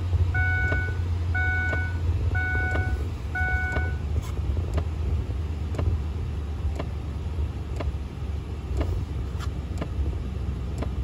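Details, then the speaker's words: 2002-2005 Ford Explorer with poor heating, heard inside the cabin: sharp pops about once a second from behind the dash over a low fan hum, from a failing heater blend door actuator, not the vacuum actuators. "all right well i you can definitely hear the popping sound it sounds like it's coming from behind somewhere in here i don't think it's these vacuum actuators"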